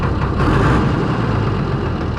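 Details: Fordson Major tractor with Perkins straight-six diesel, thrust bearing and clutch work underway, weight fitted: deep, even diesel roar held steady during a rev with no knocks, misses or rattles; healthy engine.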